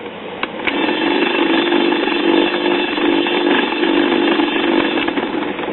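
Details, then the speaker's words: Waters-Conley Melodier 78 rpm phonograph, probably 1940s, first power-up before any work: loud harsh buzzing roar over a steady low hum, old amplifier badly distorting; recapping planned, cause not confirmed. "that sounds like it's in need of major help"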